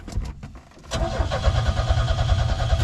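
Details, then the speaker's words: 1987 Chevy S-10 that has sat since 1999: check engine light on and fuel pump heard priming, then a brief stutter and a steady, even chug of about two to three turns a second on the starter; cranks over healthy and free. "Uh, check engine light comes on. You hear the fuel pump picking up and she cranks over,"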